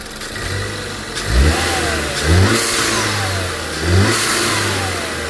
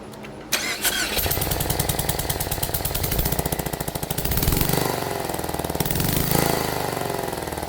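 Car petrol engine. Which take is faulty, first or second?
second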